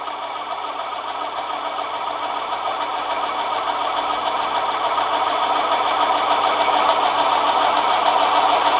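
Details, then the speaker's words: Manson lathe turning brass test piece, heavier cut after light pass: harsh even cutting roar growing louder with steady chatter, motor pitch changed; motor labouring at excessive depth of cut. "as you can hear the picture of the motor has changed but it's cutting all right i'm just cutting very well [Applause] yeah it's struggling at that depth of cut"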